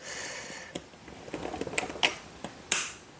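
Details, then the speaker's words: Luggage combination lock: irregular sharp clicks and a few louder jumps as the dial wheel turns instead of turning smoothly; the dial gear is skipping, indicating a broken lock. "see it's not going to work because you can hear that that's just still skipping the gear when you turn it it has to be smooth like that"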